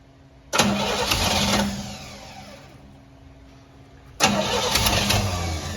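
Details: 1957 Chevy Bel Air with a 350 crate motor, new Edelbrock intake, Rochester Quadrajet and new Wix fuel filter, just after a fuel leak was fixed: two cranking bursts that never catch; no-start, timing later judged way off.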